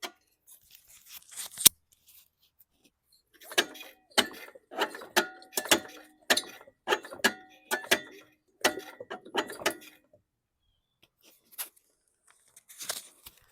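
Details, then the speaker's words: 2015 Poulan Pro mower missing its spark plug, engine turned by hand, seems to have compression: about a dozen sharp metallic clanks as the blade strikes the caved-in, damaged deck. "So I stuck my finger in this spark plug hole and spun it, and it feels like it's got compression, but you can hear the blade banging the deck."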